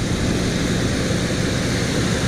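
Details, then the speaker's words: 1975 Chevy C10 after rebuild, cold and on the cold idle, idling about 1500 rpm; loud steady fast roar, idles down when throttle blade closed: high idle, needs idle adjustment or, more likely suspected, a vacuum leak. "all right we are idling about 1500 which is high and if I close the the throttle blade it will idle down so maybe I just need to adjust the idle or maybe I have a vacuum leak which is more likely"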